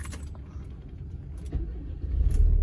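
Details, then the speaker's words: Car that earlier would not crank after stopping, charging 14.2 V, battery found weak and replaced with a used one: keys rattle, starter turns strongly and engine catches into a steady low rumble; normal cranking and start. "tenaganya lumayan ya, si starternya oke."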